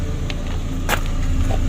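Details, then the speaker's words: DFM Succe after rear brake drum cleaning: steady low engine hum with only a brief click and no squeal from the rear drums when the handbrake is released, the earlier rear noise now gone. "o sesler Arkadan gitti arkadaştır"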